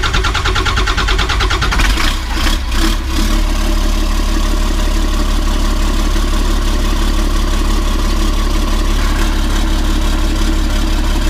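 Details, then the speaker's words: 1991 Ford F350 with a swapped CAT 3126 HEUI diesel: about three seconds of rough cranking before it catches to an even idle. The hard start comes from slow oil pressure build, not an air leak, and a new oil pump is likely. "so turns out we don't have an air leak guys and we got an oil pressure issue"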